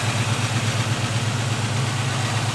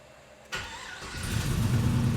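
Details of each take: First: LS-swapped G-body Cutlass V8 with a three-year fuel system issue, started on a borrowed battery; owner reports a lifter issue: steady idle with a light, uneven ticking at about three per second, a noisy lifter; a leak was found. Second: LS-swapped Cutlass with a three-year fuel system problem, long sitting, started after swapping in a good battery and cleaning terminals: silence, a crank, then it catches and settles into a steady, even idle; fires and runs properly.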